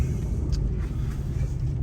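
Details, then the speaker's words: Ram 2500 on Kenda Klever RT tires at 28k miles, cruising: steady low droning hum, no knocks or whine; tires were quiet for the first ~15,000 miles and have grown noisier as they wore, aggressive tread. "I mean, it's noticeable, noisy. They weren't noisy at all for that first like 15,000 miles, I'd say. And then as they've worn, they've definitely gotten noisier."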